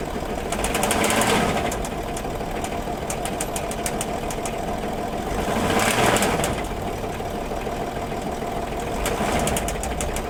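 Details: Land Rover Discovery 3 2.7 diesel, about 280,000 km (approximate), eni i-Sint 5W-30 oil, at idle: sharp regular knock about four per second gradually rising over diesel clatter; rod knock from spun bearings.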